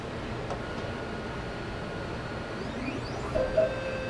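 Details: Gendex Orthoralix 9200 dental pan/ceph X-ray column motor: faint steady hum with short clicking strain near the end; motor stuck and grinding, head won't move up or down without pushing hard; motor and belt to be replaced.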